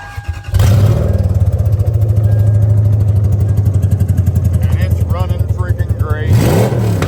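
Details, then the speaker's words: 2001 Lexus IS300 with 1UZ V8 swap, automatic, first start after immobilizer reset: catches and settles into a smooth, steady low rumble, rising cleanly with throttle, no knocks or misses; possible leaking fuel injector suspected; normal revving. "great so yeah everything's seems to be checking out pretty good"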